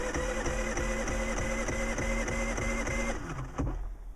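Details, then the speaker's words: Predator 3500 inverter generator, electric start on its small battery after nights near -20° and about 5° now: starter turns over slowly at about three chugs a second, then stops without firing; started on a second try after a short pause. "it's turning over pretty slow wow"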